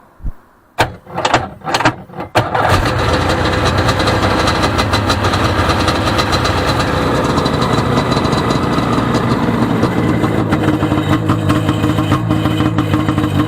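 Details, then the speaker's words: 1995 Sea-Doo XP 717 two-stroke on a jumper box, no cooling water hooked up: a few short cranking bursts, then a steady, busy idle that runs even; smoking shows the oiler works. Normal two-stroke running. "battery light is on. Well, we know it runs. Sounds pretty good. It's smoking, so that means that the oiler is working, unless they got it mixed in the tank, which I would rather mix it in the gas tank anyway."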